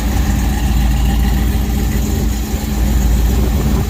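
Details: 1969 Dodge truck at idle: a strong, steady low rumble with an even beat and no knocks or squeals; a healthy running engine.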